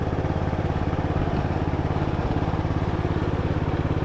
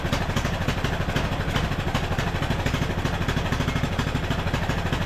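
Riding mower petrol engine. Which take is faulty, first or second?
second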